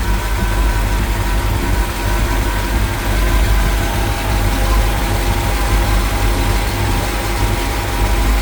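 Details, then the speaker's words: 1977 International Scout II with rebuilt engine and aftermarket camshaft; steady, even low rumble at idle with no misses, knocks or ticks; no leaks, a healthy V8 idling smoothly. "The engine was rebuilt with an aftermarket camshaft installed. No leaks, runs like a top."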